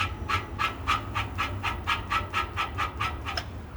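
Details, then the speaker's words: Renault/Dacia EDC dual-clutch gearbox with a pitted, damaged tapered roller bearing: rhythmic chirping squeak about four a second, heard especially when driving at low speeds, customer reports noise from the axle. "Bu araçlarda özellikle düşük hızlarda seyrederken araç ses yapıyor. >> Evet bakın sesi duyuyorsunuz"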